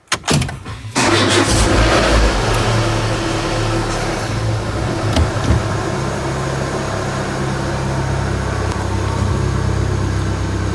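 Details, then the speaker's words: 2004 Renault Scenic 1.6 L petrol, started after removing the intake manifold to extract a broken MAP sensor head and refitting: starter turns briefly, engine catches within a second and settles to a steady, stable idle, no hissing, leaks or knocks. Normal start and idle. "you can hear now the engine is either normal without any problem no hising sound or like that no leaking and the RPM is stable no weird noising so yeah"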